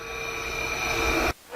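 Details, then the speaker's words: 1962 Powermatic 90 lathe original three-phase motor fed single-phase on L1 and L2 without capacitor: hard steady buzz with thin high whine, doesn't start, no speed build until spun by hand; single-phasing. "this is a test of the three-phase motor with single-phase just connected to two of the phases without either capacitor so it doesn't start right away but I can hear buzzing"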